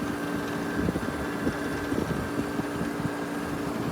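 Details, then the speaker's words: Vintage Gibson 6,000 BTU Air Sweep room air conditioner, maybe from around 1980, running on low with a confirmed full refrigerant charge. Steady low hum under an even, soft fan whoosh with no rattles or knocks. Normal quiet operation. "so this unit beyond any reasonable doubt does in fact have a full charge on it runs very quietly on low"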